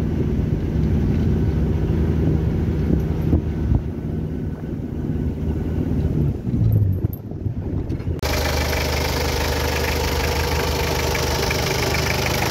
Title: Hyundai h100, Hyundai porter, Mistubishi L300 no power, white smoke, Stalling .